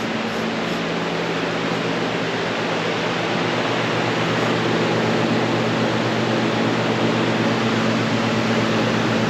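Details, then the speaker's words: Modine gas shop unit heater after repair, covers back on, gas lit and fan on: smooth steady rush of fan air with low constant burner hum, no popping or surging; normal running. "Burners are on, actually. I wonder if it was just getting too much air in there having all the covers off. Because that's all on and running."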